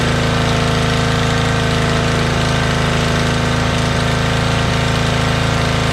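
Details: Motorbike started outdoors; when bought it ran poorly and its carbs were filthy: steady, even low idle with no misses and a slightly loud exhaust. Normal idle, owner confirms both cylinders are running.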